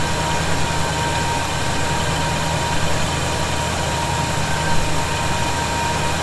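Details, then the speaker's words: 1971 Chevy C10 V8, cold start idle after snugging up loose bolts suspected of a noise: deep steady even rumble, no hiss or whistle; owner thinks tightening may have been the answer; normal idle. "I'm not hearing it right now that may have been the answer you know I still didn't crank those down really hard"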